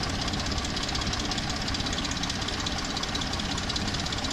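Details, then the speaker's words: Cheap Jeep with Dana 44 rear, V8 idle: light, fast, steady tick keeping pace with engine; owner first thought stuck lifters, mechanic suspects timing chain tensioner and owner agrees, unconfirmed. "when I had it in getting the exhaust on the mechanic thought it was a timing chain tensioner and I do believe he's right now after listening to it more and stuff I think it's a tensioner on the timing chain"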